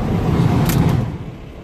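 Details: 2008 VW T5 Transporter heater blower fan, newly replaced motor tested on setting 1 before reassembly: low, smooth whoosh with no knock or rattle; fan running normally. Old motor probably failed after pollen filter was left out.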